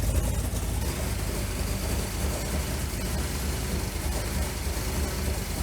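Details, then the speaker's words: 1984 Dodge Ram V8 with Holley Sniper and custom electric fuel pump module, warming up in cold weather, heard near the headers: deep, even burble, no ticking or puffing, headers not leaking; normal idle. "she's nice and quiet up here headers aren't leaking everything sounds [Music] good"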